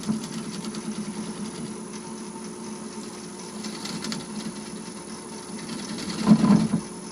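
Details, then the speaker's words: Wood lathe removing the tenon from a deep vase/bowl held in a Longworth chuck with tailstock support: steady motor hum with only faint soft scraping as the tool shear-scrapes with barely-touching, very light pressure, the correct touch. "And now I'm shear scraping. Now what I do is release the pressure a bit, so it's just barely touching, very, very soft touches."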